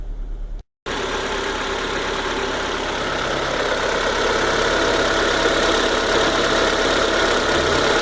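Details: Citroën C4 VTR at 73,000 km, after replacing squealing alternator belt plus timing belt and water pump: smooth even idle, steady hum, no squeal or chirp, normal.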